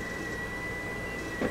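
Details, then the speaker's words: Polaroid USB Blu-ray drive stopped and ejecting its disc: a thin steady high whine throughout, then two quick mechanical clunks as the disc stops and ejects; an optical drive whine. "So, let's hit stop and see how the wine goes when you eject the disc. It's like someone's shutting it off. What a cheap piece of junk."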